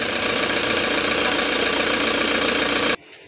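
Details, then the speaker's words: Toyota Fortuner diesel being serviced for weak pull and black smoke, freshly started after oil change before warm-up and purging: even, steady clatter, vibration very smooth with no visible engine shake; normal idle. "Hah mesinnya sudah hidup ya untuk getarannya ini lembut sekali ya sampai tidak terlihat mesinnya goyang atau tidak"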